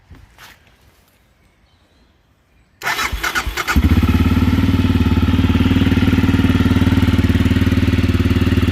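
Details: Aprilia motorcycle engine, first start after install and pre-startup procedure, carburetors possibly still filling after a hesitant first attempt: a couple of cranks, then it catches into a steady, even, low beat; slight smoke from exhaust sealer; normal running.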